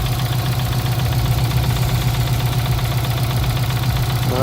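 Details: Subaru WRX with swapped JDM engine, idling after refill with new oil to level; owner suspects the oil pan/sump starving oil: regular low thumping pulse about four per second that doesn't smooth out; engine knock, cause unconfirmed.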